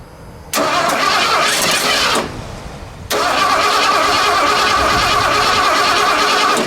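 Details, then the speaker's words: Junkyard bullnose Ford after EFI-to-carb swap, first start attempt in chilly weather, starter jumped at the terminal with spray down the carb throat, fuel pump unhooked; two bursts of steady cranking whir, never fires; timing suspected wrong: crank no start. "We might not have our timing right. Okay, gonna give her the old musty one treatment here."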